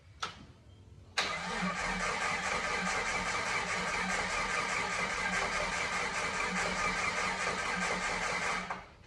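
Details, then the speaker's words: 1988 Jeep Comanche 4x4 that sat for years, after fuel tank cleaning and a new fuel pump and fuel lines: with starting fluid sprayed into the airbox, the starter cranks steadily about seven seconds at roughly two beats a second without catching. Crank, no start. "Um, so it's not really grabbing enough to help us."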